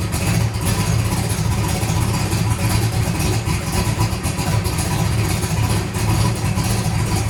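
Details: Turbo John methanol-fuelled racecar after repair of a broken part from Street Car Takeover, methanol drained from oil pan, in second gear: deep, lumpy race-cam rumble holding steady without knocks or rattles; engine seems OK, running normally.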